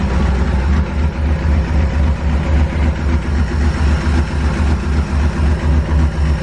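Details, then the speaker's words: Ford F100 V8 with new aluminum heads, idling on open headers after coolant was added: even pulse with a light tick starting to appear; owner is pretty sure it is a valvetrain noise. "see now we're starting to get that valkyrie noise a little bit"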